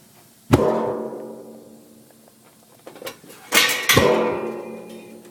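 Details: Water heater in a quiet room giving sharp, ringing pops, one then a quick pair a few seconds apart; cause unclear. Water heater popping.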